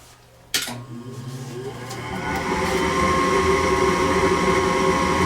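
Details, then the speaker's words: Gas furnace that lit then went out, after cleaning, reinstalling and reconnecting the flame sensor: click then steady rising whoosh as blower spools up to an even hum while awaiting ignition; normal startup. "now you can hear the fan blowing just like before we have the flame sensor cleaned reinstalled and now we're waiting for ignition"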